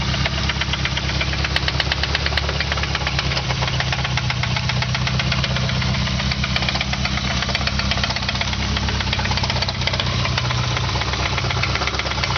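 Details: Nissan KA24E engine idling roughly with a deep, steady, rapid knock locked to engine speed; rod knock.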